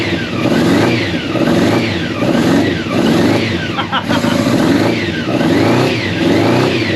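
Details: Old Honda CBR600 track bike, long unused, first start with fuel pump running and choke just off: repeated blips about once a second picking up freely with slight hesitation, a bit boggy while cold; runs and revs.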